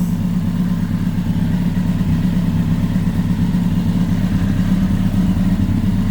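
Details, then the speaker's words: Kawasaki ZX10R after gearbox rebuild, idling while warming up with cold start valve working: deep, steady, smooth idle with no knocks, ticks or misses; normal idle. "I'm not going to give it a web just going to let it idle let it do its thing with the uh with the clutch the cold start valve which is working just fine no nasty lights temperat is going up nicely so so far so far so good"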